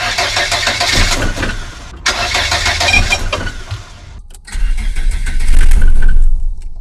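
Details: Volvo 480 engine cranks, catches briefly and dies, then fires unevenly and fades again right after a timing belt change; cause of the almost-no-start stalling still unknown.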